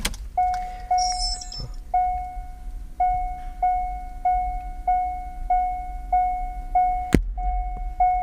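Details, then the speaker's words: Car audio system with an external amplifier on an aftermarket head unit: repeating tones, then a single loud pop on shutdown because the amplifier turns off after the radio. "¿Escucharon? El fuerte golpe o chasquido que se escucha. Bueno, en realidad eso fue que el amplificador se apagó después de la radio, por lo que causó ese fuerte golpe,"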